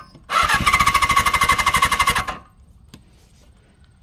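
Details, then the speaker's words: Suzuki GS750, sat since 1983 and last run 41 years ago, hot-wired with no fuel supply and carburetor cleaner sprayed in: about two seconds of rapid rough firing then silence; brief first start on sprayed cleaner only. "well fires it wanted to go but I don't have no fuel to it so I just got the carburetor cleaner that I sprayed in it and that's how that's actually kind of the first start right there"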